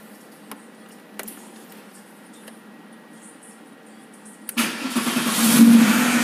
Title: Porsche 911 964 cranking up after starter motor repair